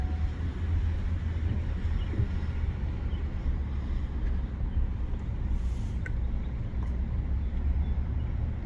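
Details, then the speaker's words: 2018 Ford F-150 5.0 with 8.8 rear axle and electronic locker, after rebuild for water damage with new carrier and bearings: steady low road and tire tread hum on test drive, no whine, howl or clunk from rear end; differential quiet. "No noise from the rear end."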